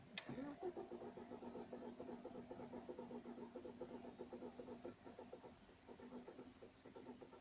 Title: BMW E46 N42 wont start 3